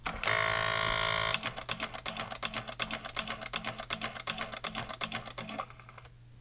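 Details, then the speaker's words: Tandy pocket computer printer at power-on after reassembly: even mechanical chunks, two or three a second, as the print head carriage shuttles and indexes the pens so the black pen faces up; normal initialization, though the paper feed roller stays stuck. "okay if we turn it on what we'll notice is that the carriage here the head goes this way and it goes chunk chunk chunk chunk and it's getting the the pins around so they're oriented in a known direction"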